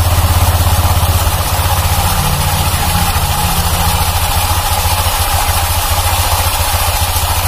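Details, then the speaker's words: 2019 Honda Vario 150 scooter at idle with a rough, uneven rattling growl; it also grinds when pushed. The rear CVT clutch is loose, with a slack clip found on disassembly, and needs replacement. "Terus kalau mesin kita hidupkan Hai suara mesin jadi kasar tewas ya lah ini ciri-ciri dari klaker puli belakang ya"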